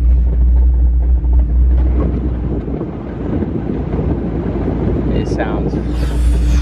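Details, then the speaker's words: Whipple-supercharged Mustang GT350R with a Tremec 3160 gearbox and broken third gear: low rumble with uneven gravelly clatter like rocks tumbling while rolling slowly, from the shattered gear inside the transmission. "it sounds so terrible rolling we're going into a meet and this thing literally sounds like rocks rolling around the"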